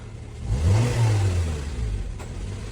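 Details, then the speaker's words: Honda Civic FD 1.8 after throttle body cleaning, warm: petrol engine revs on a blip, then hangs and drops slowly to a high idle over 1,000 rpm; fixed by HDS idle reset and throttle relearn. "อยู่กับCivicFD1.88นะคันนี้ไปล้างลิ้นปีกผีเสื้อมาแล้วมีอาการรอบสูงกว่าปกตินะและรอบค้างรอบสวิงอ่ะลองดูนะ"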